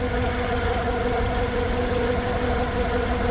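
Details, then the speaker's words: 2009 Hyundai Tucson 2.0 petrol engine after top overhaul, first start with only the timing belt fitted and the valve clearance left at 0.015–0.020; steady, even idle with a smooth hum and no knocks or ticks, engine running fine. "So ayan, umandar na, okay na"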